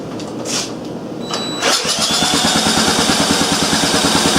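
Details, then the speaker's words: Briggs & Stratton engine run on a makeshift setup: a few weak starter turns, then it catches and chugs unevenly at about three beats a second; low compression, later traced to no intake valve clearance so the valve wasn't sealing, valve job planned. "now maybe this is why she didn't have very good compression well certainly didn't have any clearance and I wasn't sealing"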